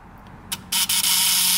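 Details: Model T buzz coil under repair, run off a 6-volt sealed lead-acid battery on quick leads after adjustment: after a couple of short starts it settles into a steady, even high-pitched buzz with no stutter, giving great spark.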